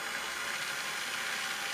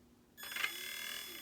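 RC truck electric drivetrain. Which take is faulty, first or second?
second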